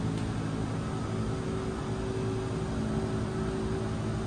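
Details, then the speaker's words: 2024 Forest River Salem Hemisphere 325RL fifth wheel pop-up TV lift raising the TV out of the counter at the button press; even, steady electric motor hum with no grinding or binding, normal operation. "It's going to bring your TV up out of the counter space."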